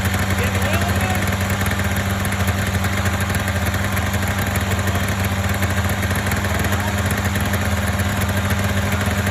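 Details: Polaris Indy 500 two-stroke snowmobile after used-parts top-end rebuild (overheated, no compression on one cylinder): steady buzzing idle holding an even note without missing or clatter — normal two-stroke idle.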